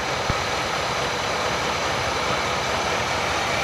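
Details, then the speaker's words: '68 Oldsmobile started with gas poured down the carburetor: catches and runs with a steady rough roar, almost running on its own, choke apparently working; fuel delivery suspect. "Sound like she's running on her own there. >> Almost. Huh. She was close."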